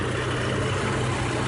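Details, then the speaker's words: 1989 Jeep Cherokee 4.0L I6 Renix after overhaul and new exhaust manifold: smooth even low idle rumble, no knocks, ticks or misses; sounds healthy, though something appears to be dripping. "sounds beautiful i think sun looks like it's dripping a little bit"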